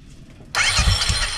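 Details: Royal Enfield motorcycle self-start after a one-way (starter clutch) bearing replacement, with the clutch cover off: quick, clean starter whir with a brief whine and light ratchety spin, engaging without slipping or grinding; starter drive now working properly.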